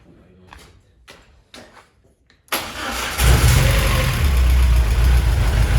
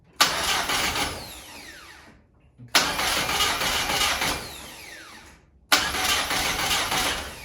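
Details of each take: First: VW Golf 1 with a 2 L engine, restarted after the MAP setting was changed, throttle held by hand: a few clicks, then it catches and settles into a steady, even low idle that is not jumping around; it runs healthy. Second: VW Golf 1 with a freshly fitted 2 L 8-valve engine at first start attempt: three cranking tries, each a two-second whirring spin that never catches. It cranks healthier than the old engine but gets no ignition; the distributor is not seated right.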